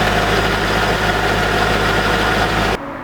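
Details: C5 Corvette V8 first start after 4+ months on lifts for harmonic balancer and full front subframe replacement, in neutral: strong, even idle with steady lope, no knocks or rattles, then cuts off; slight smoke from fluid sprayed on header; healthy.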